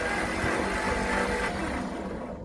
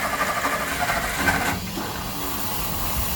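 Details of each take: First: 1964 Olson Kurbside step van with 223 inline-six Ford, sat 29 years; new starter, points, cap, rotor, plug wires, old plugs: starter whirs engine steadily but it never fires; cranks without starting, owner thinks it has spark but needs fuel. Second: 1964 Olson Kurbside stepvan, Ford 223 inline-six, first start after sitting 29 years, fresh fuel, choke held: steady low rumble under a soft hiss, idling evenly with no knocks; healthy.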